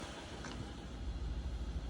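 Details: BMW 750 N63 V8 after a $20 part fixed a misfire: a steady, even low rumble with no stumble or skipped beats, a smooth healthy idle.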